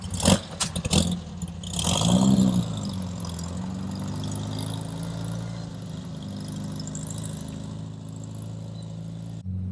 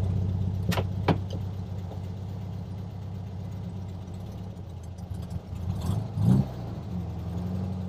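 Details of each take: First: 1967 VW Beetle on its first drive after an intake manifold, carburettor, distributor and valve adjustment: sharp pops as the throttle opens, then an uneven labouring drone, hesitating when stabbed; owner suspects lean running or valves, later blamed on tight valves and water in the carburettor. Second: 1967 VW Beetle after intake manifold, carburetor, distributor swap and valve adjustment, warmed up: even, low chuffing idle with no stumble or misses; running properly.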